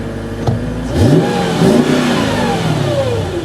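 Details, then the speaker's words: Mercedes CLK: deep burble rises smoothly as the throttle is blipped, pitch sweeping up and settling back, with no knocks or rattles; normal, healthy revving. "I do like this car because of the engine noise listen"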